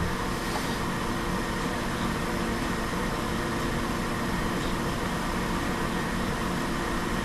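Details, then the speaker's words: Vintage 1950s Hawkins Teasmade kettle heating and boiling water before decanting it to the receptacle at the rear: steady, even rushing hiss with low rumble underneath, no breaks; normal boiling. "Now we can hear that water. I don't know if you can hear that, made that clearly out on the video, but you can definitely hear the water boiling."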